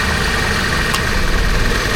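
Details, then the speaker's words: Toyota Commuter van at idle after compressor replacement, which loudly clacked when engaged: new AC compressor runs quietly with steady idle, no rattle; high side about 170 PSI, slight engine shake when engaged. "นี่คอมทำงานครับเงียบนะครับ"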